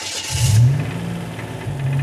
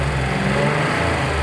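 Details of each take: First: Buick Grand National with a built engine, idling with no throttle: rough idle with a faint rapid knock under the rumble; owner unsure whether it's rod knock or top end. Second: Warm Buick Grand National petrol engine after the bottom-end fix, idling smoothly after about 3 minutes of running: no rod knock at the rpm where it previously knocked. Old-school GM injectors tick lightly, with perhaps slight valve train noise.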